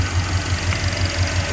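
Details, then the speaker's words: 1989 Jeep Grand Wagoneer with brand-new rebuilt AMC 360 V8 and Holley EFI, hood raised: smooth, even, quiet low idle with a soft pulse about five times a second, no ticks or knocks; healthy. "It's got a brand new rebuilt 360 AMC engine, fuel injection. So we're gonna start it up. Hold on just a second while I raise the hood. Got a nice, awesome hood liner. Protect the heat on the hood. And this engine's very quiet."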